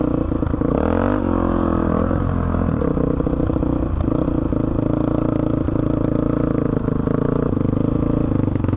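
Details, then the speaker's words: 2005 Honda CRF450X, sat 10 years, after hot start blocked off and jets upped (main 190, pilot 45): single pulls cleanly through throttle changes, revs rising and settling smoothly without bogging; normal running. "BR this thing runs great honestly great starts up first kick doesn't bog anymore I think I might have this thing perfected"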